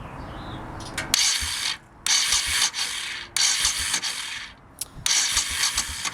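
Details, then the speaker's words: 1989 Honda VT1100C Shadow Spirit, cranking with engine stop switch off: harsh ratcheting clatter in second-long bursts from around the starter on the left crankcase, sounding like it goes back on itself; runs fine otherwise, cause unknown, owner wonders if starter. "can hear it when it turns over but then it sounds like it's going back on itself I have no idea what the heck that is"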